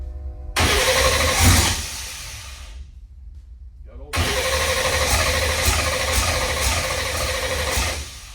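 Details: Fox body Mustang race car just reassembled, cranked on brake clean with fuel half full: two bursts of fast starter cranking, the second longer, with no catch or firing; cranks but no start, cause unconfirmed.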